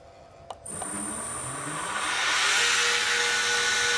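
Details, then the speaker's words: Prototype 2x72 belt sander with a rubber-isolated motor mount and the base on a towel, spinning up to half speed: a smooth, steady hum with even belt hiss and no knocks or rattles, much quieter than before. "Very much quieter. Only running at a quarter speed, we're at half speed. Very smooth. A lot quieter."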